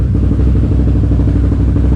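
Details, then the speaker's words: Can-Am Renegade race quad after a new pitman arm and alignment, still running rough: a low, choppy, lumpy idle that skips and drops off for a fraction of a second; owner suspects the throttle position sensor. "Idle just keeps skipping on it. You can hear it drop off right there for a fraction of a second."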